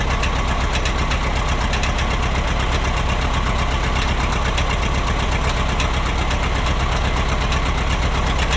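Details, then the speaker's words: Minneapolis Moline Big Mo 500 tractor, first start in 10+ years after fixing ignition, fed from small auxiliary tank: loud, steady, even chug at idle, no misses; runs normally though fan is heard kicking the shroud. "So, I hear the fan kicking against the shroud. I still don't see any cooling problems."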